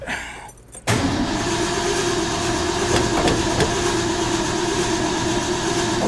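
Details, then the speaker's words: 1970 Ford F250 dually 302 V8 after a top-end rebuild, starting then dying: it catches and runs with an uneven, wavering beat and small stumbles; it is short on choke, not flooding. "I got just the choke. It's killing itself."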